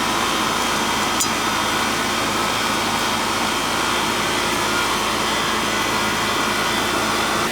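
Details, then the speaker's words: Old Goodman AC unit with Bristol compressor, not cooling on arrival: loud, even roar with steady buzz and no knocks or rattles, compressor running normally though noisy by design, now cooling. "call these the old brown turds, the Goodman, because they're noisy. Hear the Bristol in there making the noise?"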